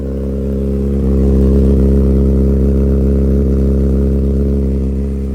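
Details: 2007 Honda CBR600RR with CS Racing full exhaust revving: steady fast clatter about four per second; suspected header tick or cam/timing chain rattle, not confirmed.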